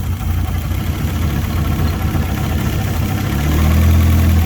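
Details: Fiat Punto GT, not started in over 12 months, idling with a chuffing noise and poor cold running; spraying carb cleaner makes revs swell and fluctuate, revealing an air leak on the intake manifold.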